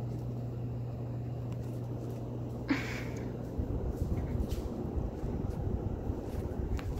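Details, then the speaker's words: 2016 Harbor Breeze Pacific Grove 52-inch ceiling fan on high speed: steady low hum from the fan motor, later buried under room noise; silent on low, slight hum on medium; slight wobble on high; cause unclear. "well actually it does a little bit on high speaking of which we're gonna turn on high right now yeah that's when you can hear at home"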